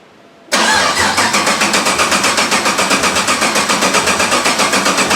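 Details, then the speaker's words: 1991 Porsche 944 S2 with 6.0 Chevy LS L77 V8 swap, not run for over a year, fuel pump unplugged: starter cranks the engine with steady even pulses about four a second and no firing, building oil pressure. "i have fuel pump unplugged right now so i'm just going to crank it to get some oil pressure up then i'll plug the fuel pump in"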